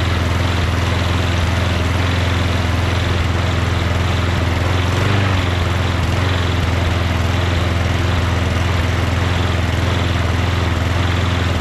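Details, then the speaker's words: MTD Yard Machines 24-inch two-stage snow blower with 8 HP Tecumseh Snow King engine, running after starting fluid, auto choke working: small single-cylinder putters steadily but slowly, idle speed too low; adjusted by bending a tab. "rpm seems a little low doesn't it just bend this tab a little bit more that way"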